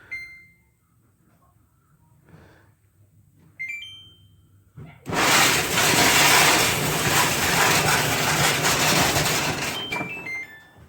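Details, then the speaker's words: Samsung dryer beeps, then a loud harsh rumbling grind once the drum turns: a drum support roller with a failed bearing. "you hear that it's making a really loud grinding sound"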